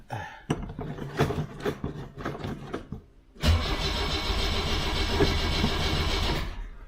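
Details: 1976 BMW 2002 E10 on a fresh battery after sitting a month, started with the starter button: a slow, uneven cranking chug for about three seconds with no firing, then it catches and settles into a steady idle. Hard start after storage.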